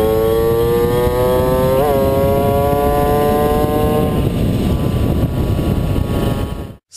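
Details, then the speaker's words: Puch Maxi two-stroke on a test ride after the misfire repair: a clean buzz that climbs smoothly in pitch as it pulls, with no stutter or coughing, then wind noise takes over. "sie hat ein sauberen Abzug kein stottern und kein Husten mehr"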